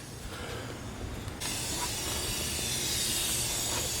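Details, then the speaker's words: Dodge Caliber SRT-4 with big turbo, 3-inch boost leak tester fed from a portable air tank: steady, loud hiss growing as pressure builds, heard at the intake manifold; boost leak, intake manifold or throttle body gasket suspected. "Alright, the more I fill it up, the more I can hear it coming from like intake manifold area."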